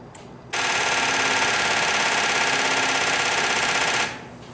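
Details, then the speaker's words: Dead Genie boom lift on a cold construction site, battery 11.5 V, key on and starter pressed: fast, even machine-gun chatter about 3.5 seconds with no cranking; weak battery, one loose fat cable noted. "certainly sounds like a dead battery to me here's what it does you uh turn the key to power and you hit the starter classic"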